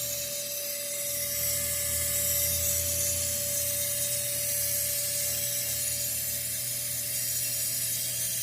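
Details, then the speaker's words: 1989 Mustang 5.0 LX, over 260,000 miles, after new injectors and fuel pressure regulator: steady thin fuel pump whine that never cuts off with key on, engine off, instead of priming briefly; cause suspected, not confirmed. "fuel pumps just spraying or just running constantly and I can hear it all of you can hear that on the video"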